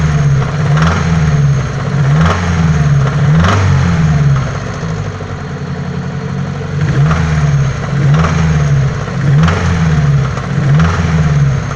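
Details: Daewoo Nexia 8-valve engine; revs rise and fall with a dull knock tapping through the running about once a second. Engine knock, source undetermined.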